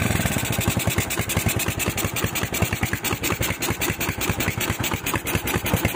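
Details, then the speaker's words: Tiger, stock factory engine, fitted with a PWK 28 NGO carburetor, air screw at two turns; hissing at idle and exhaust popping on throttle release. Single-cylinder idle uneven, lumpy and wandering with hissing edge: unstable idle, cause unconfirmed. "kalian bisa dengar juga bahwa putaran idle-nya tidak stabil, kan?"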